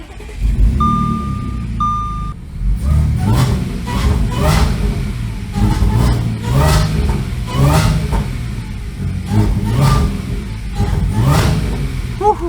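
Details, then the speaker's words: Supercharged V6 2014 Audi S4 (B8.5), heavily modified, fire-damaged salvage car, first start after repair, not yet at full temperature; after dash chimes it fires and blips repeatedly, picking up cleanly and smoothly; normal running and revving. "This sounds good. I'm excited. I'm excited again."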